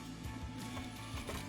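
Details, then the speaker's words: Axial SCX24 Jeep JLU crawler with sensored Spektrum brushless ESC and motor: uneven gear chatter and faint whine rising with throttle while the truck binds; motor cogs like a sensorless setup, no low-speed control. "It's kind of coggy, like a sensorless setup, but it is censored. It has a sensor plug and everything."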